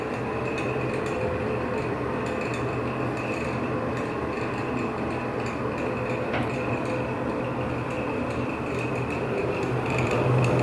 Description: ANOTHER SQUEAKY FAN! Older Nutone exhaust fan at a Japanese restaurant. This fan is ANNOYING OBNOXIOUS! SQUEAKY.